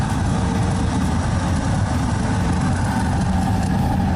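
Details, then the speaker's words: Lennox GCS16 rooftop gas unit with one single in-shot burner, previously no heat after new tenant's gas turn-on (control had 24 V but no output, no spark or valve opening; control board swapped from truck): burner now lit, steady even low roar, no popping or surging, firing cleanly. "So let me see if I got one on the truck. see how this goes. Oh, that's a good sound."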